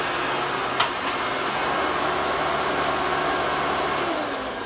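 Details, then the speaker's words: 1993 Hoover Legacy Supreme upright vacuum: steady, harsh, high-pitched roar with no pitch change, louder than it should be. Owner says the motor needs grease and a rebuild; a dry, worn motor is suspected but unconfirmed. "I wanted to turn it on for you guys because you know what guys you might end up turning down your volumes okay it's gonna be real real loud"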